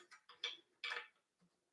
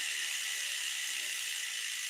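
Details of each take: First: Bicycle disc brake, wheel spun by hand: uneven bright swishes in quick bursts that fade as it slows, the rotor rubbing the caliper pads; the caliper is then loosened and an alignment tool slid in. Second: Stumpjumper mountain bike wheel being serviced for brake rub during a rotor change: the freehub ticks in a fine, even stream as the wheel coasts, with no scraping or rubbing. The wheel spins freely, normal.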